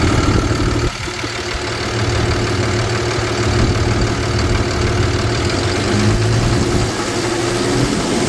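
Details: 2013 Ford F-750 Altec bucket truck, 6.7L Cummins turbo diesel, automatic, 72,000 miles, fleet maintained, no check engine lights. After start-up it holds a steady, smooth low-rumble idle with no stumbles, misfiring or smoke. Normal.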